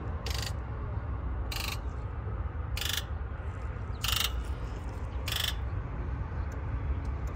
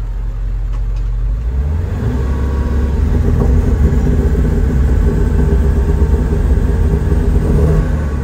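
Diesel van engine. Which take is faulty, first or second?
second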